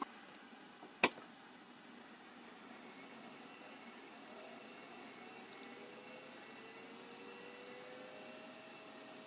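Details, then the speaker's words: Mitsubishi MR535 vintage hard drive on test: a single click, then a faint whine climbing steadily as platters spin up smoothly; drive working and healthy. "that one seems like it's working that one's working too I think that one's working that one's working to all four of those Mitsubishi just worked"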